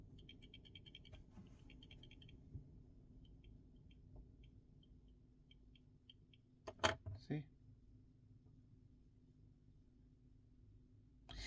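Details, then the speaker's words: Samsung S24 Ultra shaken: faint fast light ticking, louder than normal OIS rattle, from loose, faulty rear camera modules; two cameras need replacing. "all right so we need to replace these two cameras this camera is faulty and this camera also is faulty"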